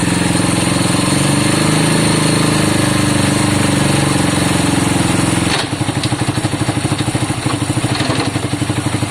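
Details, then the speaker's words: Honda CB200 running, fuel off, while the gearbox is tested through all the gears. Steady beat changes pitch and settles into a choppier rhythm as gears are selected. Runs cleanly, normal. "Nice. Shall I stop it? Went through all the gears, hey John?"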